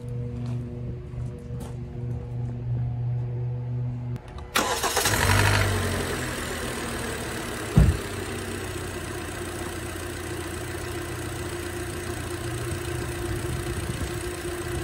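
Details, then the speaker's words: 2012 Hyundai Elantra with brand-new overhead-cam 16-valve engine replaced free under Hyundai engine recall, close-up: starter cranks briefly, engine catches and settles into an even, quiet idle without knocks or ticks; normal, smooth idle after repair. "Notice that is as smooth can be. That is a overhead valve, 16 valve engine."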